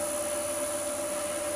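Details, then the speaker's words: New Axminster 1628VS woodturning lathe running at about 950–1000 rpm: quiet steady whir with a clean high tone and soft hiss, no knocks or rumble. "That's quiet, isn't it? That's really quiet. I love it."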